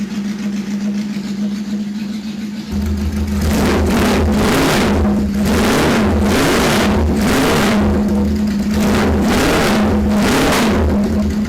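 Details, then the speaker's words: 1977 bike (KZ1000 or CB750) cold start. Catches, idles evenly, then takes several quick throttle blips that rise and fall cleanly, with no stumble or misfire. Normal cold start and idle. "We're going to fire it up real quick, and I'll show you what I mean as far as how it runs now. This will be a cold start."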